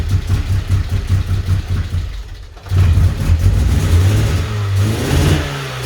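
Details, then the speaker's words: 1994 Vauxhall Astra GSi C20XE red top, new battery, cool engine, first start after injectors removed and cleaned: eventually starts, revving unevenly in deep surging bursts before a lumpy idle; suspected air in fuel system. "as you saw then the car eventually started up and obviously there's going to be a bit of air in the fuel system after taking the injectors out and cleaning them"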